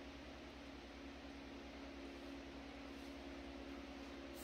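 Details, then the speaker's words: Century S-3 Model 15 skeletal frame desk fan, over 100 years old and restored after many issues, on slow speed just before switch-off; soft steady low hum, faint even whir, no rattles or ticks; normal smooth running. "This is actually my favorite speed to run the fan on. Just because it's not that noisy. I can actually sleep to it running on this speed."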